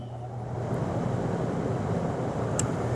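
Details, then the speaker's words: AC compressor that failed to start, now running after initially not starting despite 75 A inrush: steady low hum, no surging or knocking, drawing a steady 7 A; running smoothly, capacitors still to be checked. "Compressor is still running. It's pulling about 7 amps. Staying pretty steady."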